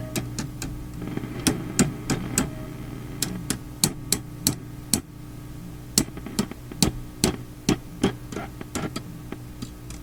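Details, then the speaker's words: Philips Sonate BA581A vacuum tube radio, tapping near the volume control: sharp irregular taps each set off a crackle over a steady mains hum. Microphonic from loose, floating parts; owner doubts this is the crackling cause. "it's a microphonic uh arrangement here with these parts that are not like held down or floating"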